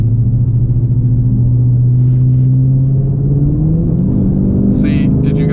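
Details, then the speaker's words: 2016 Dodge Charger R/T with Gen 6 Whipple supercharger on 91 octane, driving: low even engine drone abruptly steps up as boost kicks in, slight supercharger whistle; the vacuum boost controller makes boost onset sudden and unpredictable. "did you guys hear that surge? That was it kicking into boost there. You could kind of hear the supercharger whistling a little bit."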